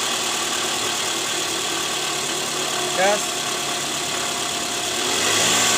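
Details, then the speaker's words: Toyota Alphard 2AZ-FE engine after replacing a worn balancer shaft that had caused a rough noise near the oil pan on cold mornings, heard from underneath: smooth, steady idle hum with no roughness or knock; fixed. "Oke sudah sangat jelas berbeda bunyinya sekarang sudah halus Jadi udah nggak ada bunyi kasar lagi diare mesin"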